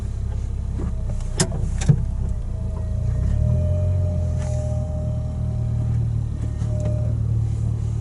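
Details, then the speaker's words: 2012 Toyota Matrix in winter, driving: a thin, steady squeal over low road rumble from the brake pad wear indicator, signalling worn pads that need replacing. "guys hear that let me see if I can make you guys hear it again yeah so that squeaky son just indicates that you need new brake pads now"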